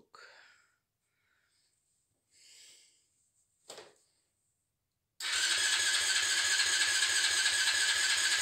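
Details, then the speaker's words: Never-started 110cc pocket bike on 13-year-old blue factory fuel, choke on: even starter cranking at about three and a half compressions a second that never catches. Cranks but won't start; old fuel is blamed. "Okay. God damn it. Oh, it's not starting, but it shows signs of life."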